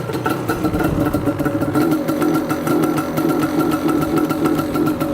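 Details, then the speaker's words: Yamaha Banshee two-stroke ATV warming up after starting on the second kick, smoky and a little rich: lumpy, blubbery idle that surges and never clears. Something fitted keeps the choke permanently on. Choke stuck on, rich running. "Sounds like the choke is still on. He's got that in there, which is like keeping the choke permanently on, which is kind of weird."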